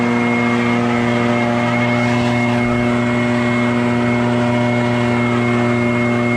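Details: Barn-find Echo PB650 backpack blower on fresh gas after years stored, clearing a shingle roof: steady high two-stroke buzz at working speed, constant note, no surging or stumbling; normal running under load.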